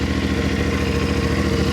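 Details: CFMOTO Ibex 450 single-cylinder during break-in, just after oil change to conventional 10W-40 non-synthetic: steady even idle thump, no knocks, ticks or misses, run to check for leaks; healthy.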